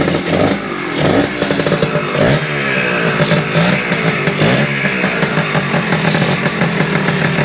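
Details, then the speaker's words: Kawasaki F7 Bushwacker two-stroke on its first startup attempt after the carburetor, muffler, electrical and battery were installed and a surface-gap plug fitted, ignition on and choke on: a loud, crisp crackle that revs up and settles, firing evenly without misses. Normal running. "Got the ignition on, choke down. Oh, that's sounds good."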